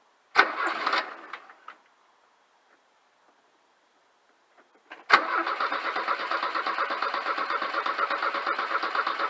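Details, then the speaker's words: Porsche 924 after a fuel filter replacement, with the fuel line empty: the starter cranks to rebuild fuel pressure and prime, pauses, cranks again, then catches into a rough idle while air purges from the fuel system. "line is empty so we don't expect anything to happen when we go to crank it but we're going to try cranking it over to get fuel PR again"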